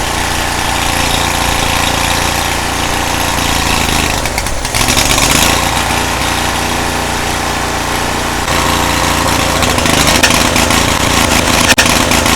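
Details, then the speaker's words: Cub Cadet 1641 lawn tractor engine after carburettor cleaning runs with an uneven, loping, ragged idle and gets loud as it leans out; owner suspects the carburettor still isn't fully clean. Rough running. "The thing is loud when that thing starts leaning out. It still sounds like it's like not running great."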